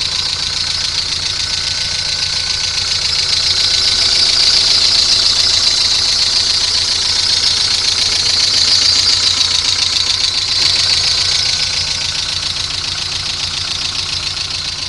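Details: Golf 3 engine at steady idle with a sharp, even, high-pitched ticking about three and a half times a second; the cause is unclear.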